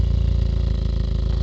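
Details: Engine at low idle with an uneven, lumpy pulse stumbling every few beats: misfire because one fuel injector stopped atomising properly and delivers 20% less fuel than the others.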